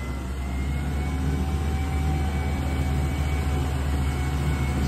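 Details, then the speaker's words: 4.3 Jasper engine in a boat under load test, heard from the back: strong, steady low rumble under part throttle, even firing with no knocks or misses; normal running under load. "it's smooth and quiet back here"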